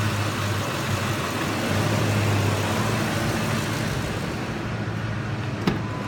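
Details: 2005 Ford F-150 5.4 Triton: ragged idle that sags and dies within seconds. A mechanic found the fuel pump driver module, on the chassis above the spare tire, with its housing corroded off, exposing the board, likely shorting when wet after rain.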